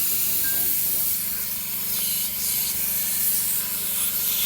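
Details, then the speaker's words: MCI MC5 coach after new air lines installed, air pressure at 55 and rising, trying to release parking brake: loud continuous high hiss over low rumble; significant compressed air leak in the system. "something's leaking something's leaking pretty significantly"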